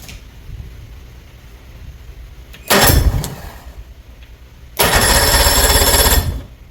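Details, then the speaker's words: Old two-stroke outboard, long sitting; starter fluid sprayed into carburetor: two short rough raspy firing bursts, about 1.5 and 0.5 seconds, each dying; fuel leak found at primer solenoid. "I'm going to go ahead and shoot some uh starter fluid straight down in the carburetor then try to start it"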